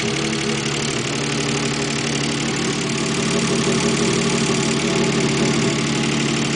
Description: My K8 engine knocking after I remove the left cam shafts to change a retainner.